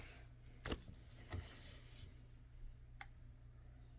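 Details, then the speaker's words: Dell Inspiron 5515 laptop (third unit): a few faint, sharp, irregular clicks as pressing the bottom of the chassis makes the touchpad register phantom clicks without anyone touching the pad. All three units had this issue. "But say you're not doing anything on the pad, it thinks I'm selecting it. So I am not pushing, double clicking. It's from pressing the bottom."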